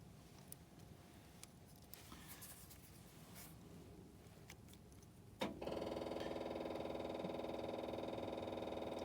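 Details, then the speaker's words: 6.5 diesel with the oil pressure switch connector unplugged and jumpered across its two opposite pins: a click, then a steady electric buzz with a fast even pulse. Lift pump runs, so the oil pressure switch is suspected of not passing 12 volts. "you can hear that lift pump running so safely assume and it's probably your oil pressure switch it's not letting that 12 volts get to the pump"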